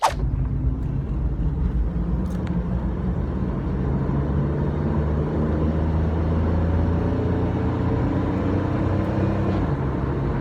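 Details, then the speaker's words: 1997 Chevrolet Camaro RS, 3.8L V6 with 4L60E transmission, highway road test accelerating onto the interstate after the cylinder 3 misfire fix: steady engine drone under road noise climbs smoothly with speed, no stutter or hesitation. "all right we're back no stutters no hesitation one bit we're back"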